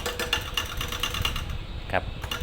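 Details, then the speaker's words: Hatari 16-inch electric fan fitted with a different-model Sharp replacement blade; on switch-on, quick regular clacking ticks over a low motor drone as the blade barely turns, rubbing on the housing edge because it fits too tightly. "ก็คือใบมันติดนั่นเองนะครับมันติดขอบนะครับ"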